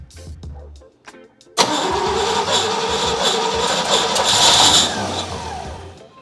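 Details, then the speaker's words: First start attempt on a 1967 Pontiac GTO converted to EFI with a Haltech Elite 550. Steady cranking pulses, then a ragged burst that never settles. Timing is suspected too far advanced or possibly 180 out, not confirmed. Cranks, no start. "Okay. I think you're too far advanced, Jeff. Yeah. Something's not quite right here."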